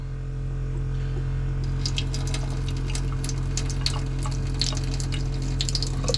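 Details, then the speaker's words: Hot-water tap on a 1983 Coachman camper right after the water pump is switched on following PEX line repairs: steady pump hum under a thin, weak splash. It flows, but pressure is low. "not a ton of pressure but it's flowing we'll come back to that one"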